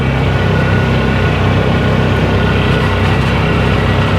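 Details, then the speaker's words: 2011 Polaris Ranger 500 single after full engine rebuild, driving gently during break-in at about 3900 rpm; steady, even drone with no knocks, ticks or rattles, motor absolutely quiet and healthy. "So everything seems to be working just fine. Sounds good. Motor's absolutely quiet."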